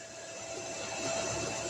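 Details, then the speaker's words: DC-to-DC SwiPower battery charger (1-100 amp range) set to 48 volts while current setting is raised: soft airy whoosh with faint steady hum swelling as the charger demands load, cooling fan coming on, running normally. "hear the fan come on now, it's demanding it now"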